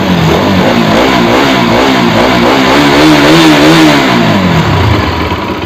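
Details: Bajaj RS200 motorcycle: revs climb smoothly and fall back cleanly, pitch following the throttle, no rattle or knock underneath; engine sounds healthy.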